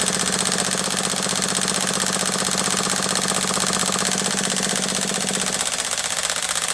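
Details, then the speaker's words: HPI nitro RC truck cranking at a fast, steady buzz, possibly with gelled fuel in the carb needles. The pitch changes near the end as fuel gets in and it starts catching, with burning nitro smelled, but it doesn't fire. "did any of you hear that the change in Pitch you can't smell it obviously but I can smell the burning Nitro fuel so it is starting to get a bit of fuel in there"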